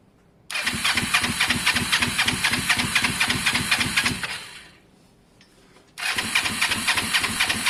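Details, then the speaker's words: Twin-cylinder engine (possibly the Kawasaki ER-5 cafe) that starts, runs an uneven lumpy beat around 230 a minute, dies, then restarts rough. The owner suspects the spark plugs need cleaning; the cause is unclear. "uh something's changed guys um something's changed you can hear it's just not happy i i don't know what it is"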